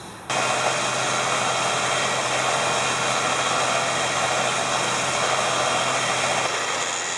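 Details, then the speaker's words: Smittybilt winch on a Jeep TJ with the engine running, after rerouting the ground to the fender: the winch spools in with a steady, even motor whir and no clicking, now working flawlessly. "so now it works flawlessly"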